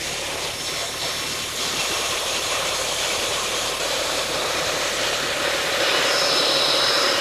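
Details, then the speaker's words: DeWalt D55146 oil-free air compressor that makes loud noises and won't build pressure, just switched on: harsh loud rushing roar with a fast steady pump pulse; something is wrong inside the motor assembly, cause not confirmed. "Obviously that is not sounding so hot. Something's going on inside the motor assembly here."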